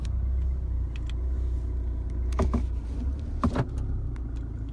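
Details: 2016 Chevrolet Colorado 2.8L diesel stopped in the driveway after a mostly highway drive: uneven, lumpy idle with stumbles, which settles after shifting to park and back to drive; rough idle.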